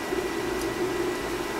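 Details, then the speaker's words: Gas boiler with no heat on the 1st-floor zone, powered up: after about 90 seconds to energize, the power vent kicks in with a steady, even blower hum, low constant tone, no rattle or scrape; normal power vent blower operation. "Take 90 seconds for it to energize, and we should hear the power vent to kick in."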